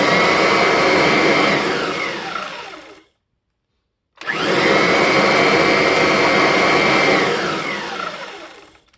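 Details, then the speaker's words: Kirby Diamond Edition after donor transmission swap and rear axle bearing regrease, neutral then full power: motor whines up to a steady high pitch and winds down smoothly, no more clacking. "so if I put it in neutral yeah nice and quiet so let's try the wind up and wind down in full power"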